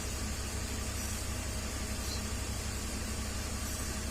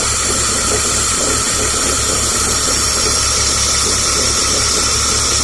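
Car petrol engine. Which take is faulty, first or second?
second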